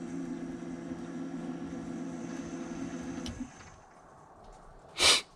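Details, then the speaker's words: BMW F10 535d diesel after fuel filter replacement, fuel pump run via jumper wires to prime without a scan tool: steady low electric hum for about three seconds, air in the line being pumped back. "So I don't know if you guys could hear that, but that sounded like a whole bunch of air in the line being pumped back, so that's good news."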